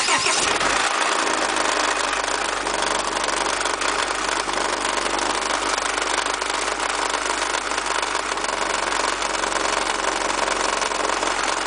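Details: Honda H22A8 engine catching and settling to idle with fast steady tapping over it, from the engine block; heatshields and pulleys checked secure; cause was a failed timing belt auto tensioner, converted to the fixed H23 tensioner system.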